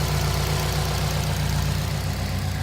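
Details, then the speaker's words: 2005 Subaru Impreza WRX STI, about 45,000 miles, modified, idling: even steady low pulse with no knocks, ticks or misses; no signs of cracked pistons, blow-by or smoke. "Just to show you, there's no cracked pistons, blow by, any of that stuff. No smoke."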